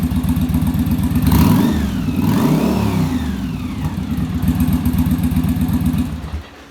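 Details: Yamaha Virago V-twin during final on-engine carb sync with a manometer after a bench sync: even loping idle with quick throttle blips that drop back cleanly, both cylinders pulling together; carbs balanced.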